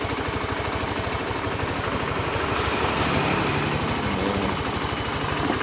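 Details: Honda Beat FI scooter that arrived completely dead, idling after the dead CDI/ECU was replaced: small single with a steady, even low pulse of about three beats a second and no misses; runs clean and healthy.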